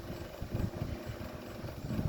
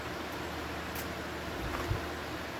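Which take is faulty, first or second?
first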